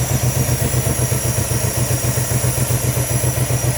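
Lumpy idle with a pulse that keeps stumbling and skipping unevenly; a random misfire caused by failing coil packs on two cylinders.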